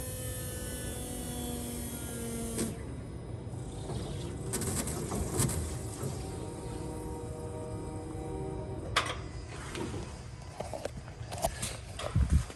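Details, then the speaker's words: 2021 Jeep Gladiator 3.0 EcoDiesel at 5,000 miles, priming after fuel filter change, key on: steady electric hum with faint whine for about two and a half seconds, then cuts off; normal fuel pump priming. "So that's what I was talking about. You actually hear the fuel pump turning on."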